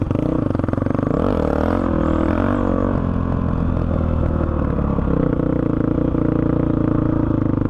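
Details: 2005 Honda CRF450X, sat 10 years, after blocking hot start and upping jets (main 190, pilot 45): single picks up cleanly as throttle opens, even pull through revs without stumbling; no longer bogs, normal running.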